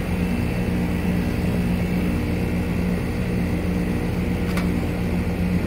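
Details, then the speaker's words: 2.5-ton Goodman GSZ13 heat pump condenser, outdoor unit at startup in heating mode: even low hum over a soft fan rush with no rattles, knocks or squeals; very quiet: normal running. "that is very cold this thing was super quiet a really good unit"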